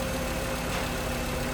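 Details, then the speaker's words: 2011 VW Jetta 2.5L that would not start or started then stalled, no communication with the ECU and the cooling fan always running; fuses checked intact. Now starts: smooth, steady idle hum, even low rumble, no knocks or stumbles; normal idle. "Завелась. Завелась. Це добрий знак. Це добрий знак, що вона завелась."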